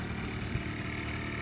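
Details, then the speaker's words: Five-year-old Honda Lead 50 scooter, cold start on electric starter with new spark plug, compression about 9.5 (manual 10.5): steady, even low putter with no knocks or misses; normal idle. "за четыре года сейчас пошел уже 5 сезон вот он так должна заводиться"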